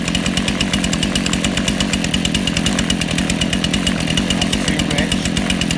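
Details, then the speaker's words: Two-stroke chainsaw/strimmer/hedge trimmer carburetor: rapid buzzing idle, steady with a slight uneven beat, as the idle mixture screw is turned from too lean to too rich to set it in the middle. "you'll be able to hear it run from two lean to two rich and you'll see me set it in the"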